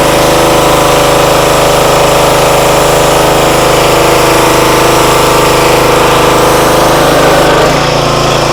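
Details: Free used pressure washer that reportedly only runs on choke, started at full throttle on choke after bleeding air from the pump: steady even drone driving the pump, no surging or hunting; motor and pump seem fine.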